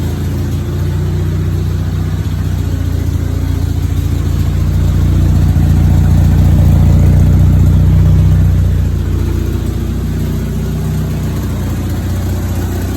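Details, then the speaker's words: 1962 MG Midget MK1 that sat for who knows how long, previous owner had it since about 2006, running after the throttle linkage was freed: an even, steady idle that climbs smoothly to a brief higher-speed run and settles back. Firing stays regular, so the engine is healthy. "The engine does run amazing, actually. It's been sitting for who knows how long."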